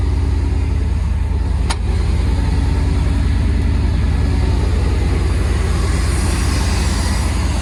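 Steady low thump at idle, even beat around two and a half per second with no skips or stumbles; V8 idling smoothly and healthy.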